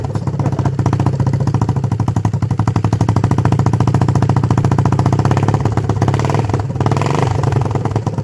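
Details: 1976 Honda XL250, 8000 km, first start after three-month restoration; even, steady single-cylinder thump at relaxed idle, loud and open, no knocks or misses: normal healthy idle.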